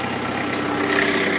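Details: 1985 Toyota 4Runner with an imported 2.8L 3L diesel (about 60,000 miles, DTS turbo kit at ~5 psi): steady idle with an even clatter and constant pitch, no misses or knocks. Normal idle.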